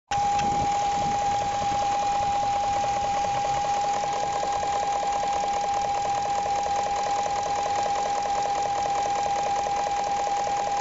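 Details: 2001 BMW 740iL (E38) V8 idling: quick, light, even tapping under a steady high-pitched tone, not very loud, not heard inside; car runs fine, owner unsure of cause.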